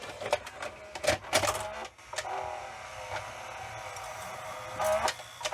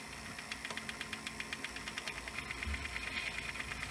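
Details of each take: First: Sanyo VHR-H519 VHS VCR loading a tape: small compact motor whirs in short buzzy bursts with light mechanical clicks as the tape threads; normal loading mechanism, similar to Video8 camcorder loading motors. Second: Sanyo VHR-H519 VHS VCR rewinding an EP tape at its end: a fast, regular ticking rattle about six per second over a hissy whir, source unknown; the tape is not being chewed.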